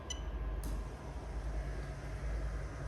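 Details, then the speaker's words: Lexus LS430 2000–2003 3UZ-FE VVT-i swapped plug-and-play into a right-hand-drive manual IS200, noisy workshop: sharp fuel pump relay clicks, then a steady low pump hum; relay and fuel pump working normally. "but yeah you can hear the relay actually click and you can hear the fuel pump fire up there so that's absolutely perfect"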